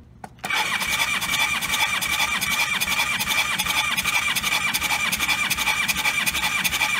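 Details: Motorcycle with low compression treated by pouring about an ounce of Marvel Mystery Oil per cylinder and letting it sit several days: short crank, catches at once into a quick, busy idle with a high-pitched ring; runs normally.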